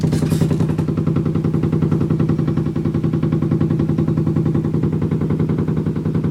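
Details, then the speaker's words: Washing machine during spin cycle, heard through the adjacent wall by a desk; the drum slams against the wall and floor every spin, a heavy steady thump about three to four times a second felt as vibration; cause not clear. "I can feel something slamming against the wall feel the vibration because it's my washing machine"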